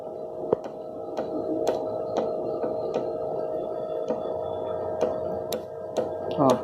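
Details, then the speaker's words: Suzuki GS 500E engine: sharp, slightly uneven metallic ticks about twice a second from the clutch side; owner suspects play inside the clutch basket/flywheel area, not yet confirmed; engine ticking noise. "Tem uma folga lá dentro. Só pode ser isso, cara. Só pode ser isso, esse barulhinho que tá me irritando."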